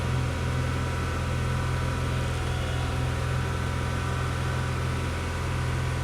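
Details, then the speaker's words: 1995 Pontiac Grand Prix SE just restarted after IAC plugged back in and intake tube reconnected: steady engine drone held at raised speed, no dip or hunting; idle really high, owner hopes no calibration needed. "okay start up now see what happens ugh really high"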